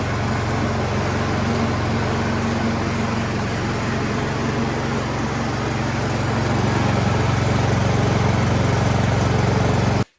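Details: Troy-Bilt snowblower that would not start, only a few hours on it, with the prime line reconnected, primed and slightly choked: small single-cylinder engine runs at a steady, even pace for ten seconds before cutting off; normal running.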